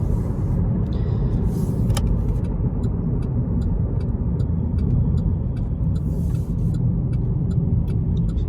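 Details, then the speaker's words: Pontiac G6 GT with starter and new replacement transmission, driving: steady low road rumble and even engine drone with slight tire noise; wheel bearings checked fine, no knocks or whine; normal driving. "This one has a little bit of tire noise. I don't know if you can hear it, but wheel bearings and everything looked fine. So yeah, this thing's running out good."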